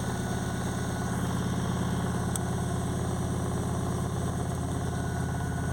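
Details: Ford Anglia with Mazda MX-5 engine: lumpy idle with a heavy low beat about three a second, firing on only cylinders 2 and 3; injectors 1 and 4 get no ECU signal, ECU found faulty.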